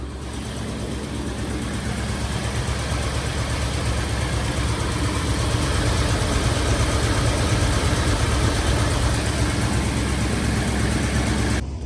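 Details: 1978 Ford dump truck V8 at the shop, now on cheap gas-station oil after Royal Purple, with a drain plug gasket leak: steady, loud idle with even low rumble and no ticking; healthy idle.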